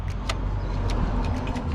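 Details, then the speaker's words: Harley with newly installed handlebars, engine off: light, sharp clicks as the grip is twisted, the throttle hitting the back of the throttle body at about 60% opening; throttle cable misadjusted after the bar install, fix is cable adjustment. "You hear that little clicking? I'm hitting the back of the throttle body. So that's what's going on. You're only about maybe 60% at full throttle right here, and that's where we have to start adjusting."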